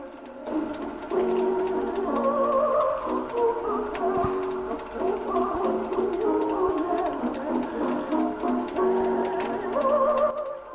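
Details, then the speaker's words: Circa-1959 Geloso G256/e valved portable 3-inch reel-to-reel tape recorder playing tape: music wavers and drags with uneven speed; owner suspects a clutch-type motor whose rubber drive wheel against the spindle has perished, so the transport slips. "It's trying to go around. I bet you it's one of those motors with a clutch mechanism. The rubber wheel will rub up against the spindle here underneath, and I bet the rubbers perish from it."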